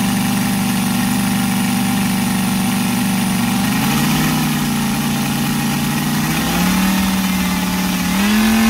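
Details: Brand-new Saito FG-73 R5 five-cylinder radial, fully upgraded with Morris Mini Motors hardware and exhaust ring, 32:1 mix, Biela 20x10 four-blade prop, 600–5500 rpm: smooth even buzz stepping cleanly up with each throttle change, no stumbles; healthy.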